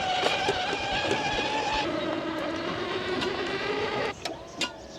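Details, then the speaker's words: An old starter engages unevenly, catching only about every second or third lick, with faint ticks while the engine turns over without catching. The engine has compression. Sticky starter brushes are suspected, and the starter is being hammered on. "That starter's only hitting about every second or third lick."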